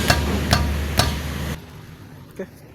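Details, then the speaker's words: 2005 Toyota Vios (Limo Gen 1) front left wheel struck, before repair: three sharp metal-on-metal clunks about half a second apart, then silence; loose brake caliper knocking, the cause of its clunk over uneven or potholed roads. "Nah, ini kan ada suara-suara yang aneh ya. Kayak besi beradu gitu."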